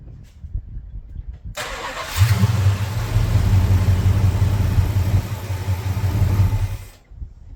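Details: Plymouth Fury 383 big-block V8, first fire after carb and timing work. Catches after a short crank, settles into a deep, lumpy, steady rumble, then shuts off. Normal running.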